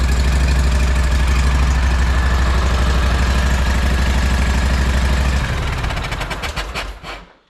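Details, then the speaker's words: Walker mower engine freshly rebuilt, running during break-in and leak check. Steady, even low thump at brisk idle with no knocks or misses, then winds down and stops; sounds healthy. "Nothing funky going on as of yet, but we're gonna run it, we're gonna break it in and see if there's anything going on that needs to be addressed, such as leaks or something like that."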